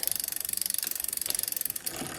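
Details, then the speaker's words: 2004 Klein Aura X, Shimano 6500 double front derailleur on newly installed cables, shifted up with the big rear cog after limit-screw adjustment: quick even ratcheting ticks as the cranks turn, then a clean shift up with trim and back down, no scraping or rubbing. "When I shift it up, it goes up in the gear, then there's a little trim, go back down. This is a double, so don't have to worry about the triple aspect of it."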